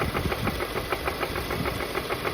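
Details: VW Golf GTI Mk7 Performance Pack, CXCB engine, revved idle to 3000 rpm, back to idle, then 4000 rpm: sharp metallic knocking following rpm; rod knock, suspected from running without oil after the plastic oil pan broke.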